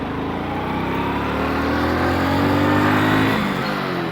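A motorcycle engine pulls cleanly and revs up smoothly after a downshift, with no stumble or stall.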